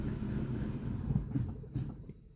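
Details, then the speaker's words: VAZ 2115 on a cold start: the engine catches, runs rough and uneven for a second, then fades and dies. It starts hard and stalls cold; owner suspects an intake air leak. Valve noise is also noted. "лохне таке ощущенние як подсос воздуха десь є"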